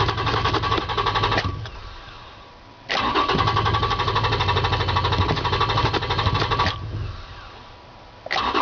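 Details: Toyota Tacoma, fuel-injected: repeated cranking bursts of a few seconds each with pauses between, and the engine never catches and runs; hard-start problem.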